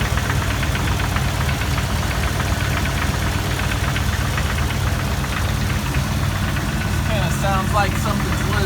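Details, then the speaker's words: 2002 Jeep Wrangler TJ at idle, heard from under the vehicle: quick uneven metallic tapping about four per second near oil pan or flex plate, appears after a minute or revving; torque converter bolts re-secured didn't help; flex plate or piston slap suspected. "Okay guys, I'm gonna climb under so you can hear the sound. Sounds like it's coming from right around the oil pan or here where the flex plate is."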